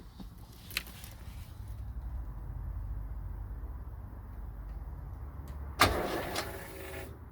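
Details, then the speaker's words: Porsche 924, first test of newly installed fuel pump and accumulator (aimed at cold start issues), coil pack disconnected, little fuel in tank: faint steady hum for a few seconds after key turn, then stops; fuel pump priming normally, no visible leaks. "So I can definitely hear the pump working, so that is a good thing."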